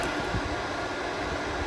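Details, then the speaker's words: HP Z240 workstation just after power-on: a loud, steady rushing jet-like roar with no let-up; the fans are pinned wide open by a suspected firmware glitch, not overheating; unplugging power for 10–15 seconds fixes it. "so you can hear how the fan is running wide open on this sounds like we're getting ready to take off if I was to unstrapped that computer it would fly away"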